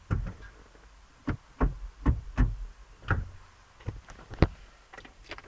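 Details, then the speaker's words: 2007 Opel Zafira B with Easytronic semi-automatic gearbox, recorded at the gearbox: repeated sharp clicks when shifting to neutral, with a delay going into reverse and the engine management light on. Faulty clutch actuator. "you could hear some click I'm trying it again like it delays to go into reverse or something"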